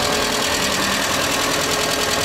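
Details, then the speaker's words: Kia Rio after clutch pedal repair, test run: a busy metallic rattle rides over a steady idle and never lets up; rattle at idle of unknown source. "More rattles than a millionaire's baby."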